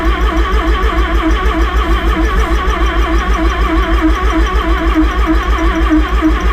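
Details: Rotary-engined van's first start after rebuild: steady, even churning pulses about three a second as the starter spins the engine; no firing yet on this attempt.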